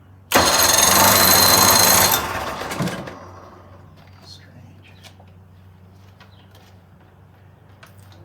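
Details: 1980 Chrysler 45 hp two-stroke outboard with new coils, cranking fast and evenly but not firing after sitting; spark present and choke working; suspected ethanol fuel, a plugged carburetor or not using the fast-idle warm-up lever.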